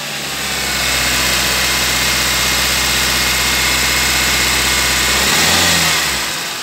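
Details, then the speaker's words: Toyota Altis after power steering fluid change, revved with aircon on: smooth steady hum and even hiss, no whine or groan from the steering pump; earlier noise gone. "Okay na, nawala. Ano masasabi nyo, Mang Roman? Nawala yung ingay."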